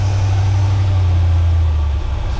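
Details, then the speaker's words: 1979 GMC Vandura G25 3/4-ton carbureted van at idle: deep drone rising and falling, losing steadiness; owner calls it a lean surge on the idle circuit, runs fine off idle, thinks the carburetor has to come off. "So, I'm calling it a lean surge. Cuz if it was electrical, it would do it all the time."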